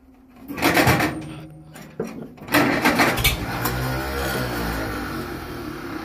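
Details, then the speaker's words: 1945 Farmall A tractor, not started in a long time, cold day, choked, about one-third throttle: slow uneven cranking with weak catches and bursts, then a rough low rumble building; hard cold start. "i figure i'd do a cold start and start is in quotations because there's no guarantee that it will start"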